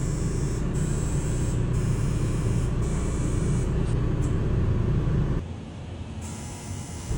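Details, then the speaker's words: Diesel truck injector buzz test with an open coil circuit code on injector 5: strong buzzes from the others, while number 5 only clicks. Both injectors had just been replaced and the misfire persists; the wiring or injector is at fault. "Did you hear how number five just clicked? That tells us we either have a problem with the wiring or the injector itself."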